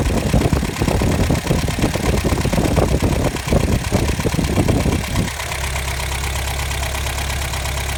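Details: 1984 Toyota 22RE with timing chain, tensioner and guides done by the previous owner: an irregular ticking knock over a low, uneven idle, then settling to a steadier rumble; source not found.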